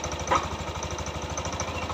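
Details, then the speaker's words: Yamaha NMAX keyless that kept stalling, idling after repair before covers and coolant are refitted: steady low putter with even firing and slight rev rise and fall; acceptable idle. "Insya Allah ini aman. RPM nya juga agak naik turun,"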